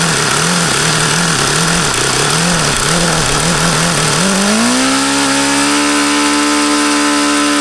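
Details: HP VT 21 rotary-valve four-stroke model engine: a high buzzing idle hunts and wavers, then climbs to a steadier higher note. The owner says it is still rich on the low speed, so he was leaning the low-speed needle. Cause not confirmed.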